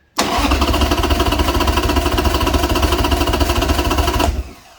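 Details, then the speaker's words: Harley Sportster, compression test on the front cylinder with new Harley plugs: about four seconds of steady cranking at roughly 3.5 chugs a second, never firing, reading about 70; owner suspects low compression. "so about the same about 70. I don't know if that's good or bad guys uh comment down below well you guys want we should where should I see it at that seems like a little bit pretty low compression to be but I'm no bike expert"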